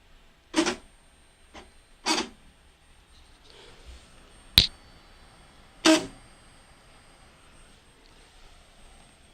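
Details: 3D printer Z-axis steppers binding and skipping: one side moves with loud clunks and rasping, the other stops after about 3/16 inch; cause found to be bed not leveled evenly on all four corners.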